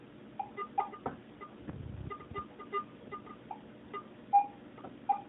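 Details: Garrett AT-Pro metal detector air test, penny at about 10 inches from the coil, audio only with no visual ID. Faint, irregular mid-pitched chirps over a quiet hiss: the detector still picks up the coin at its depth limit.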